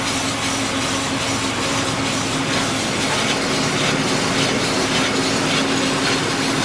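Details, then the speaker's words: Scion FR-S/Subaru BRZ on used-car inspection, wheel turning: rough, gritty grinding swelling about three times a second; first suspected the differential, confirmed as a worn left rear wheel bearing. "brakes but I'm pretty sure this wheel bearing is back too if you can hear that sounds like it's grinding I thought it was a differential but I don't think it is"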